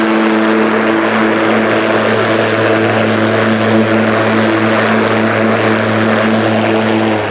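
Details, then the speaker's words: Ryobi 36V brushless 46cm cordless mower on one battery, power set just above minimum, cutting very thick grass: a steady droning hum with a strained, rough undertone as it catches the grass. The motor is bogging under load. "you can hear it when it's you know catching the grass catching the grass"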